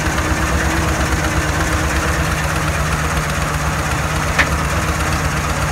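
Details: 2014 Ford F-250 Super Duty 6.2 V8, check engine light on: rough uneven idle with serious knocking and a single sharp pop, multiple-cylinder misfire traced to a broken exhaust valve spring.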